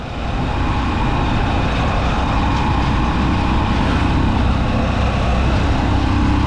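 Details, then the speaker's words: Honda Supremo motorcycle at cruising speed after new parts were fitted: steady, even drone with no clatter or rhythmic chain slap. The earlier chain noise is gone and the drive is smooth. "Pinong-pinaw na yung takbo niya mga idol. Hindi na siya maingay."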